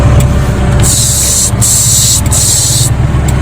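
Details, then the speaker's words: Hyundai Atoz GLS 2001, idling with AC running: loud steady airy hiss from evaporator area, reduced after evaporator/condenser cleaning and compressor oil change; AC compressor also tends to growl. "Nah itu hasilnya suara desis nya lumayan berkurang atau minim"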